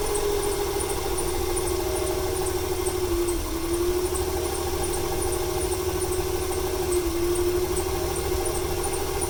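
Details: 1995 Ford 300 straight-six with over 400k miles, misfiring: thin steady squeal that wavers slightly over an uneven idle throb after rain, stutters on throttle; squeaky accessory belt, owner wonders if the misfire is a fuel or timing issue.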